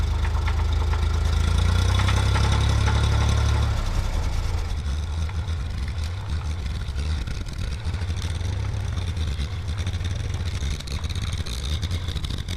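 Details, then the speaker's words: Massey Ferguson tractor during carburetor repair: rough, fairly heavy idle with a dull knock about four times a second underneath, sometimes silent; owner wonders if it is rod knock, unconfirmed. "I don't know if you guys can hear that knocking or not but that's the most concerning thing currently is what the heck is that is that rod knock"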